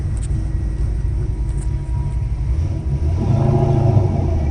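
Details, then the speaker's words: 1979 Camaro V8 converted back from EFI to carburetor, first start, fuel pressure 7 PSI, no leaks: steady, even low rumble with no knocks or misses; fuel pump not straining, healthy idle. "sounds good fuel pump too it doesn't sound like it's working too too hard"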